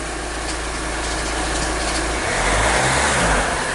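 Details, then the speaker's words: 2010 Kia Sorento 2.2 diesel after injector replacement for hard start/crank-no-start: loud rough idle, uneven clatter about two beats a second over heavy rumble; serious knock, cause unknown. "a lot of noise coming from this vehicle it's really loud I'm not sure exactly what the noise is about"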